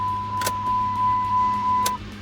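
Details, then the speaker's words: 2008 Dodge Ram 1500 that wouldn't start, fuel pump replaced and tank refilled: key on, steady even hum about two seconds then cuts out cleanly; fuel pump priming normally, truck then starts right up. "We already checked the fuel pump, and I can hear the fuel pump running, so that's good."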